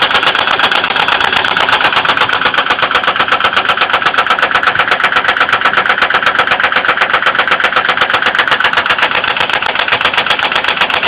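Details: 2002 Ford Windstar 3.8L idling: sharp, even top-end ticking about four per second, cause unknown; oil level risen with light-brown milky-coffee oil spilling, appearing overnight after running fine, though coolant not significantly low.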